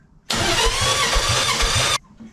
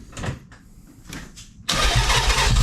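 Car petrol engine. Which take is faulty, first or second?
second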